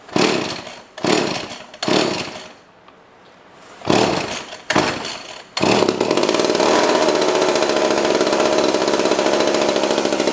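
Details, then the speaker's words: Old pre-1990s two-stroke chainsaw started on choke: a few failed pulls with short sputters, then it catches and holds a steady high buzz with heavy smoke; running fine. "That one's gonna smoke me out of house and home. Cool. So there we go. We've got 4 out of 5 running, right?"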